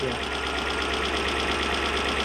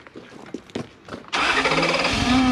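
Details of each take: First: Toyota 1UZ-FE V8 in a Surf/4Runner after repair of a half-engine misfire: smooth, steady idle with an even low hum, no misses, all cylinders firing; normal idle. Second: Toyota 1UZ-FE V8 (Surf/4Runner), spark test shows no spark from one distributor side: catches after a few cranking pulses into rough, uneven idle; one bank dead, lead or rotor suspected.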